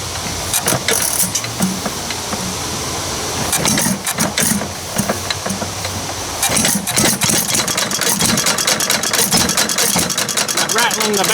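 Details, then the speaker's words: Ford 800 tractor running again after sitting, possibly on stale old gas, with a long exhaust pipe. It runs rough, with loose metallic bangs and rattles as the governor hits its arm. "bang bang bang bang you hear there's a governor we hitting that arm correction s very interesting"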